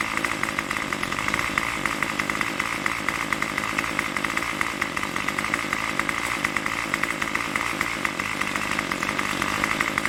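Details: Craftsman Weedwacker trimmer 316.791191, MTD 27cc two-stroke shortblock, Zama C1U-P27 carb, after rebuild: even raspy idle buzz with slight speed hunting, tach jumping around 2600–2700 rpm, no misses, runs without choke; normal idle.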